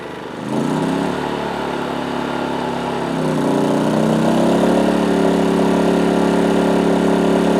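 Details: PowerSmart 2350W inverter generator with CO alert, powering a 1000 W microwave: steady hum climbs to a higher, even pitch as load comes on, then holds smooth; running normally under load.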